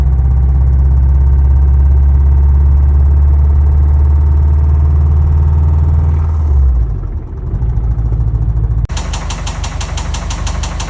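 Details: Original EJ205 engine in a 2004 WRX, parked and warm at idle, with a rhythmic knocking chatter that worsened over about 36 hours; first thought to be an exhaust manifold leak, and a timing tensioner was ruled out.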